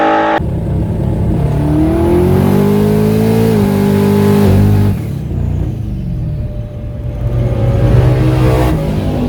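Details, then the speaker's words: Loud boosted V8 with automatic under load: revs climb and flare without matching drive, getting progressively worse, then sag; owner says power exceeded the torque converter's capability, it ballooned and is slipping. "and I exceeded the potential the capabilities of what my converter would handle and it's ballooned out locked everything down all right as you can see here in the video it's blowing through the converter and then like it kind of got a little worse and a little worse and a little worse"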